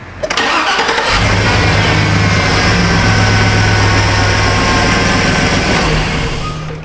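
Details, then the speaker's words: 2006 Chevrolet Silverado 2500HD with the 6.0 V8, 43,270 miles, plow truck, after a ground-related extended-crank fault was addressed: short crank, fires straight away and settles into a smooth, even idle; normal start. "on ah like a rock baby"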